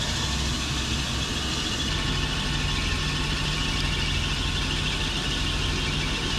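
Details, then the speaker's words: Turbo BMW E36 drift car, after repairs following an engine-bay fire at an event. The engine holds a steady idle under a loud hiss with no misses or knocks: normal idle. "catch fire no fires no breakdowns it's nice and smooth I'm happy"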